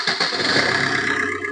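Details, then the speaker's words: Maruti Suzuki Ritz: a few quick cranking pulses, then the engine catches and runs evenly. The earlier "kirr" noise from the alternator area at starting is gone; normal start. "ഇപ്പൊ ആ sound കാര്യങ്ങളൊന്നും നമുക്ക് കേൾക്കുന്നില്ല"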